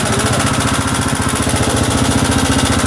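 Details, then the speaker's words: Honda CG125 motorcycle engine at idle, low engine oil: hard, even clatter of about three knocks a second over a loud idle, noise from the engine rather than the cylinder; top-end knock from oil starvation. "पे देखिए cylinder में cylinder से आवाज़ जो है बिल्कुल भी नहीं ए रही और इंजन जो है बहुत ज्यादा आवाजें कर रहा है"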